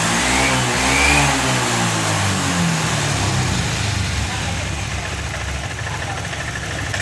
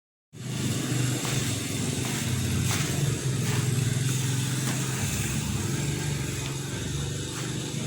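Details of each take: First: Honda Vario 125 FI after fixing the clogged, dirty injector, fuel pump pressure steady at 40: engine picks up cleanly on each throttle blip, pitch rising and falling smoothly without stumbling; revs freely, bogging cured. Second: Honda Vario 125 FI scooter that won't rev: low, flat engine drone never climbing in pitch whether throttle is snapped or opened slowly, RPM won't rise; cause found to be a clogged, dirty fuel injector.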